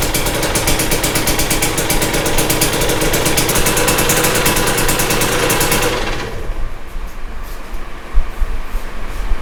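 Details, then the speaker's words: 2022 Husqvarna TE250i two-stroke, 157 hours, restart after top end rebuild once the air had cooled: crisp crackle revving evenly for six seconds, then dropping to a settled, steady idle; engine sounds healthy. "all right I think that was quite successful"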